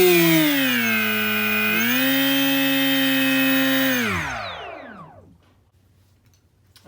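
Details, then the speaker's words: Cheap AliExpress propeller, mounted in wrong orientation for pusher, unbalanced: loud buzzing hum with coarse throbbing edge, holds, dips and winds down. Unbalanced propeller vibration. "if you can feel the vibrations in your hand that's one sign that your propeller is not balanced and by balancing your propeller you'll get a lot more efficiency and it might and your plane will be quieter in the air so not as annoying"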